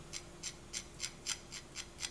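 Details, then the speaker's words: ICS PCR-97 gearbox with mixed-brand bevel and pinion: sharp scratchy rasps about four per second at one tight spot as gears are turned by hand, blamed on a warped cheap gear; a 0.2 shim smooths it. "and it's grinding right here you can hear and see that it's grinding right there"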